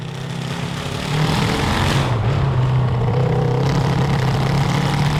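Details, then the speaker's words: CB750 750cc cross kart engine with stock carburetors and drilled emulsion tubes, warmed up: uneven, lumpy running that misses and hesitates as throttle opens; high-throttle carburetor breakup above 7,000 RPM under load, now worse after the change. "remember it was running bad it had to warm up [Music] [Music] crap we made it worse we made it worse"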